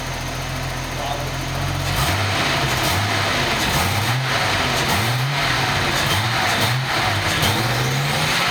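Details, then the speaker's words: Nissan with DIY EFI harness running a stock 280ZXT ECU, first test start: fuel pump primes, short crank, then engine catches and settles into an even, steady idle with no misses; clean, healthy start. "so let's listen for a fuel pump first fuel pump off crank there go look like a champ"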